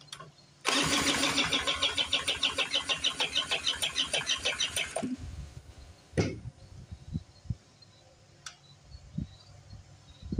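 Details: Old two-stroke Speedway 1000-watt portable generator, pull rope missing, spun with a drill, choke shut: about ten seconds of fast, even cranking with no firing; won't start, owner suspects flooding or lost spark.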